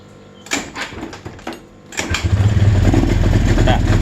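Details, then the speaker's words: Suzuki Spin scooter: quiet clicks, then it catches and runs rough with a stuttering beat under throttle ("brebet") before stalling; the mechanic suspects the ground (mass) cables to the engine, common on the Spin. "hidup ya motor hidup tapi digas brebet brebet brebet brebet gitu. Nah mati."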